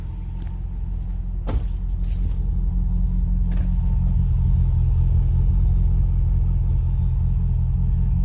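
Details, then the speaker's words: 2006-12 Dodge Magnum/Charger/300 5.7L V8 with new 85 mm BBK throttle body, MagnaFlow cat-back exhaust, 210 thermostat, warmed up and idling, heard from the rear: deep, even burble, steady firing, no misses or rattles. Normal exhaust note. "this sounds nice and smooth let's go in the back [Music] I love the way Dodgers sound they just are so aggressive"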